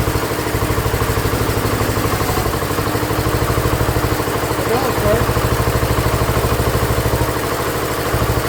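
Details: Ford LGT145 garden tractor after a head gasket replacement and carburettor set to factory specs: even, steady putter at idle with no misses, knocks or hunting; runs normally.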